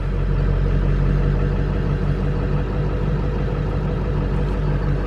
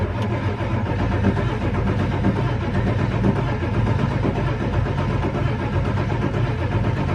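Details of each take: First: 1999 Ford F350 7.3 Powerstroke diesel, dead-cold engine (ice-cold exhaust manifold) after one glow plug cycle, after Melling M208 high-volume oil pump install: starts immediately into a deep, steady, even clatter, oil pressure right away; healthy cold start. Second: 1999 Ford F350 7.3 Powerstroke diesel at about 52°F, before a Melling high-volume oil pump fix: a slow, steady starter churn about once a second cranking on without catching. Oil pressure gauge reads zero; hard start traced to weak oil pressure.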